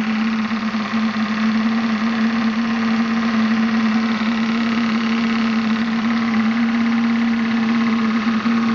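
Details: Graupner 5000 gas-fired model steam engine with condenser/oil separator driving a pond water pump: steady even mid-pitched tone with fine regular chuff, no knocking or hesitation; running smoothly, just before gas is turned off.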